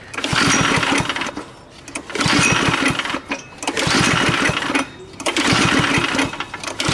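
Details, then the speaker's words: Go-kart single-cylinder engine with a busted starter handle: repeated pull-start strokes give rough chatter but it never fires. The spark plug cap is damaged and was grounding out against the exhaust pipe; spark still to be checked. "Yeah, no firing. Alright. Should check for spark too."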